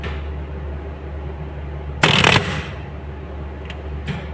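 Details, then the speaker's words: Contactor in a 60 kVAR APFC panel, live: constant mains hum broken by a short burst of rapid clicking (kat-kat chatter). "यह है हमारा contractor जो आवाज आप सुनिए कैसे दे रहा है"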